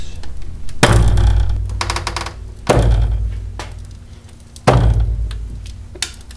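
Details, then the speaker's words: Driver's-side front strut upper bearing mount on a 2000 Chevy Venture minivan, failed or failing: three heavy, deep clunks about two seconds apart; distinctive noise of a broken upper mount, not repaired here. "The primary purpose of this video is to introduce you merely to the noise of a failed or failing upper bearing mount on a strut."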